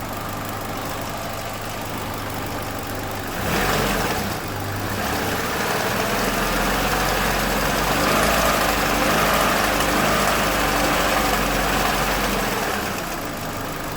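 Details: 2007 Chevrolet Lacetti 1.8 L at idle: idle shifts as the intake flap electric/vacuum valve connector is refitted, then a light regular metallic rattle returns; intake manifold length-changing flaps chattering.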